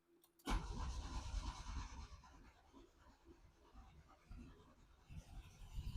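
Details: Yugo with battery connected and spark confirmed, possibly flooded: low uneven cranking chug about three beats a second that never catches; cranks but will not start, cause not confirmed.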